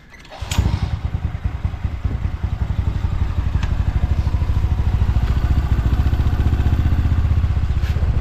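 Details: Yamaha Mio M3/Mio i 125 after installing an RVN 28/24 big valve head in place of the stock head: cold kickstart, then it catches and settles into an even, rapid low putt with no clatter. A clean cold start.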